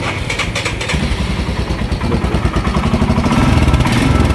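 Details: Royal Enfield Himalayan 411 that misfired badly when hot from no fuel delivery, after replacing the fuel pump motor and fuel filter: steady, even low thump with no misses or stumbles; starting and running cleanly.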